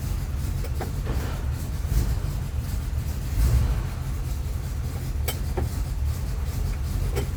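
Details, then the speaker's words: 4x4 hot rod started after waiting on parts, including a rear driveshaft yoke: a deep, steady low rumble with no knocks or misses. It is somewhat noisy but not terrible, running smoothly and evenly before a test drive. "seems to be running pretty good let's pull her out and see how she does"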